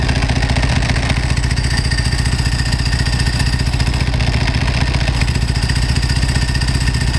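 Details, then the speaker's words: 1995 Ducati 900SS SP V-twin idling with open belt covers: light, even metallic rattle from the dry clutch and belts over the lumpy beat, quiet now and louder with the clutch pulled in; normal, nothing wrong. "Now, here's that clutch and the belts. Not very loud right now. It's louder with the clutch pulled in."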